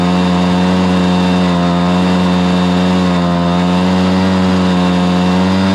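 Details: Stihl BR430 blower after the bogging fix: carburetor cleaned, then the high-side carb limiter adjusted. It holds a strong, steady high-rpm tone at full throttle with no bogging or surging, running properly.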